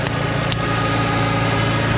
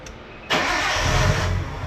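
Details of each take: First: 1993 Nissan Skyline sedan with RB20DET, just after a fuel filter replacement; the fuel pump was primed, then it started beautifully. Steady, even, low idle with no misses, knocks or hunting: normal idle. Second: 1993 Nissan Skyline RB20DET being cranked to relieve fuel pressure before a fuel filter change. It cranks and catches roughly on residual fuel, then is left to die: engine stalling from fuel starvation.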